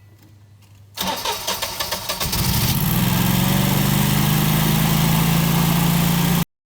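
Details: Generac generator after replacing broken magnetos and destroyed intake fan plus maintenance, repair for under-voltage, RPM sense loss and high revving; cranks about a second, catches cleanly, steady even hum without hunting or surging, normal start and idle.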